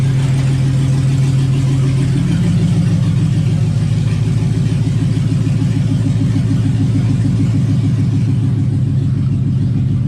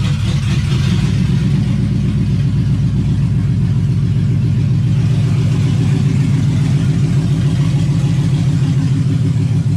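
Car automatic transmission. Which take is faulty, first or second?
second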